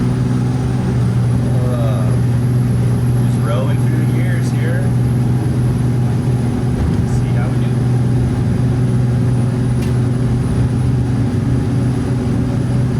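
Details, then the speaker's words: Skoolie school bus on highway test drive after swapping in new rear differential gears, aimed to drop engine rpm at 60–65 mph from about 2,600 to about 2,100: steady low road drone, no gear whine; new diff much quieter than the old one. "Really feels good. This new diff is much quieter than the old one, which is good."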